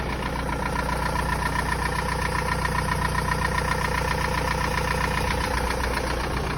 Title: 1.9 tdi 66kw 1z hot engine knocking